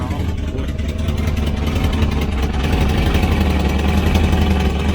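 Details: Volvo 240 Classic wagon (245), timing belt changed, water in oil, white exhaust smoke, suspected blown head gasket: deep loud uneven idle rumble swelling slightly as it warms — exhaust far too loud, probably leaking, needs new exhaust.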